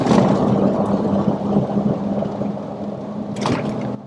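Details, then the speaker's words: Truck driving at speed: steady low hum near 200 Hz under road noise, present during left turn, gone in right turn, pointing away from the left side; worn wheel bearing. "the home was still present during the left-hand turn so that usually indicates that it's not on the left side"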